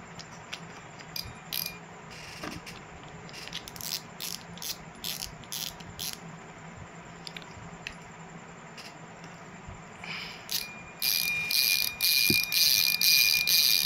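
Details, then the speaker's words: Yolo KT7000 spinning reel after service: the drag had made no sound when loosened, a cut part was manually modified, and now a crisp, even run of fast light clicks comes as the spool pulls off, roughly two a second then quicker; the drag clicker works. "చూడండి friends, ఫైనల్గా అయితే spinning reel అయితే drag sound కూడా వస్తుంది."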